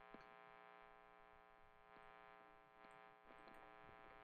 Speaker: and you can hear the 60 cycle hum coming from single coils